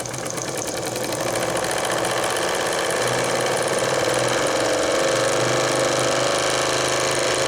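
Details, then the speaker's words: Old JMC 3 cc live steam engine in RC steamboat, steam fully opened, regulated at about 2 bar, starting immediately: fast even chuffing about three and a half beats a second, steady and unbroken; running excellently. "Le 3 cm3 marche vraiment formidablement."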